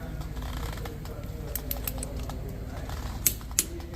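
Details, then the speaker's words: Torque wrench on a 2005 Chevrolet Monte Carlo wheel lug nuts, car on the ground, gives two sharp, crisp clicks about a third of a second apart as it breaks over at the set 100 ft-lb. "There you go. You hear that nice click? That means that that is nice and tight to 100 foot-pounds of torque."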